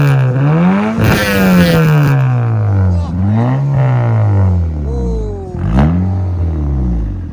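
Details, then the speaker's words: 2006-11 Honda Civic R18 with a built short block, first run, slightly warm: clean free revs rising and falling smoothly, crisp throttle with no knocks or rattles; sounds louder and more powerful than before the build. "Why does it sound louder? Why does it sound louder? It sounds like... It's happy. Yeah, that sounds powerful."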